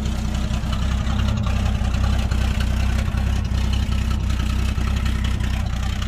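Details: Toyota Land Cruiser FJ60, beach vehicle with heavy rust, first start: steady loud idle with a sharp puffing tick about four per second over the rumble; exhaust seems broken somewhere, but the engine sounds healthy.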